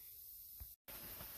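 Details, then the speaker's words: Semi truck started after cold snap at -7: steady hiss of escaping air with short break from a cold air switch, one of three notoriously leaking switches; they stop leaking once warmed up. "So if we got cold water leaks, we also have cold air leaks, and I forgot about this"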